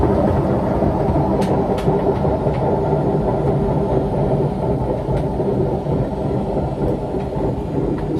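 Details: Front-load washing machine spinning, around 1000 to 1200 rpm near the end of the cycle: heavy, continuous low rumble with a faint steady hum on top. Owner suspects worn bearings needing replacement; not confirmed. Loud rumbling during spin.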